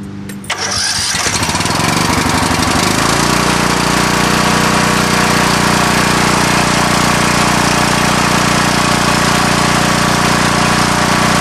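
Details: Coleman Vertex 7850 15 HP generator, electric start with new battery, fresh gas, fuel pump fed, run the day before so not fully cold: brief crank, catches and settles to steady even run; normal start and run.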